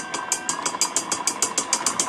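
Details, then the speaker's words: Teddy Varimixer W5A mixer running: sharp high scraping ticks about six per second as the whisk contacts the bowl, which shouldn't happen; unit also has an intermittent power cord and a faulty bowl lock. "I got here on the bench this Teddy very mixer it kind of somewhat works for for one you can hear it uh the Whisk is contacting the bowl and I don't like it it shouldn't happen"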